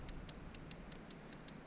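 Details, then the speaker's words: 2004 Cadillac CTS 3.6 V6 with misfire codes: powered fuel injector gives crisp, even ticks about five a second, showing the injector is good; fault traced to ECM injector driver. "have a good injector yeah i can hear it click click click i don't know if you guys can hear it"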